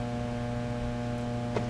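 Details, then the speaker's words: Fender Blues Deluxe tube amp before repair: a constant low buzz, steady in pitch, with no signal played. The owner said it sounded out of tune or like tremolo, on an amp that has no tremolo. After a slow decline, the sound is typical of failing main filter capacitors. "now a lot of times they'll have a much lower frequency Helm than that but um that's filter cap issue soundwise"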